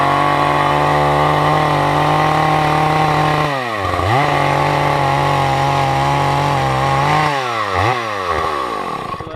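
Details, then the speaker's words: Husqvarna 2100CD chainsaw, warm, carburetor previously fiddled with: revs cleanly, but when the throttle is released the buzz sags and it dies, won't idle; owner suspects a clogged idle jet. "Once you let off the gas, though, it dies right away."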